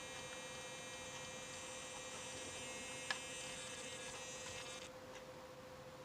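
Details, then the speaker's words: RC car servo at full steering or throttle/brake travel: steady high-pitched buzzing hum for about five seconds then cuts out; servo overextended past its end point, stops once the adjustment is backed off. "And that's how I adjust it because you don't when it's making that humming noise when you're turning your steering all the way or holding your throttle wide open or breaking it, it's because you're you're overextending"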